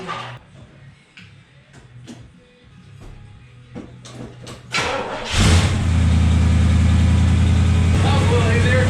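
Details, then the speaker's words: Carbureted V8 pickup on true dual exhaust, started cold: quiet clicks, then it catches into a loud, lumpy idle. Rough cold running; the engine is known to run poorly until warm. "With all that out of the way, let's fire this thing up, let it warm up because it doesn't like to run very good when it's cold."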